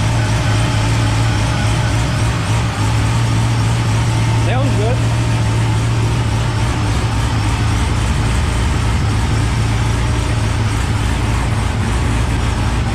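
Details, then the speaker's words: V8 after new TSP blower cam swap, start-up: deep, choppy idle with strong lumpy lope about three beats a second; slightly more tone and choppier than the old cam, no chop lost; healthy. "but I think it got a little bit more like tone to it, a little bit choppier, but it sounds very similar. I don't think I lost any chop, which is what I was worried about, but I'm pretty happy."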